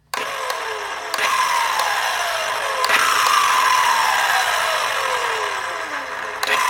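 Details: Milwaukee Fuel 7-1/4" cordless circular saw after several cuts in 2x4 lumber, any battery or charge: motor whine spins up then sags and winds down, with trigger clicks and retries; won't start properly and stalls easily.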